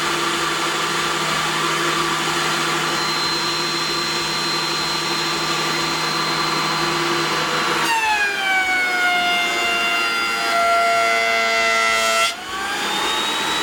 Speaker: but you heard both of them this one or the DeWalt runs exceptionally smooth even when doing a decent cut